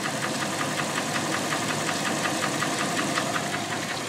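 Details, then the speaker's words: 2000 Dodge Ram 1500 Sport 4x4 at about 206 (thousand) on the odometer: light, fairly even tick at about 160 per minute over a steady idle, coming from one side; a mechanic suspects piston slap rather than a knock. "But let me start it up. Not sure if it's going to pick up the sound, but it has a little bit of a tick. Coming from this side."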